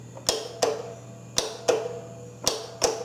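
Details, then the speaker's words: Riding mower starting system test with starter motor cable disconnected: sharp crisp clicks about once a second from the starter solenoid, a normal sound. "now we can hear this solenoid this is a normal sound that you should be hearing but if your starter is trying to engage in everything you may not never hear it"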